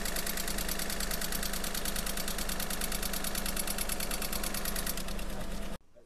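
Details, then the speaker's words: Car engine at idle about three months after a 6000+ yuan overhaul, now making abnormal noise again: a quick, fairly regular ticking over the low running note; cause unclear, and the shop that did the overhaul says it is out of warranty. "就我车之前刚大修过，然后现在发动机又有异响了。"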